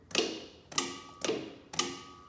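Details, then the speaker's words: Dixie Chopper walk-behind zero-turn mower PTO clutch after repairing a loose wire at the clutch connector: four crisp metallic clicks about half a second apart with a short ringing tail and no grind, the clutch engaging cleanly as it should. "hear it engaging how it should"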